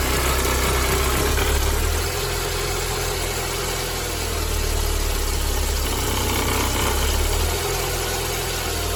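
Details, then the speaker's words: Mercedes-Benz W201 190E 2.0 (M102) at idle before repair: low gravelly rumbling noise rising and easing slightly from the worn-out belt tensioner; tensioner, damper, adjuster bracket and belt to be replaced. "ゴロゴロとした異音が聞こえたと思います。今回はベルトテンショナー、ダンパー、調整金具、ベルトを交換させていただきます。"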